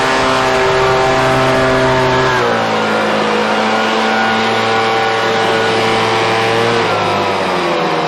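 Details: Husqvarna 125BV two-stroke leaf blower, after clearing a blocked carburetor fuel passage and fitting a new filter: a high buzz runs clean and steady, pitch easing slightly and holding without stumbles. Normal running.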